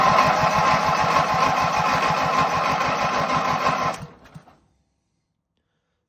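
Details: Ranch King riding lawn mower: even starter chugging about three and a half strokes a second for four seconds, never catches; no spark shown on inline tester, battery dead; cranks but no start.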